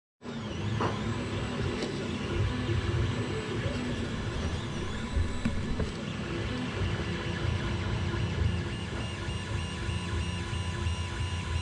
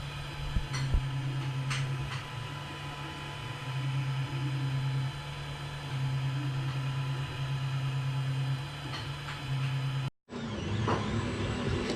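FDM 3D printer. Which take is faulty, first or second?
first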